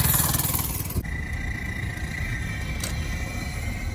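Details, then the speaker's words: Mini bike that had been having trouble starting: a rev drops to a buzzy idle with a thin, steady high whine ("not supposed to scream"). Something inside is broken, cause unknown. "You hear that? Yeah, you broke it. She broken. It's not supposed to scream."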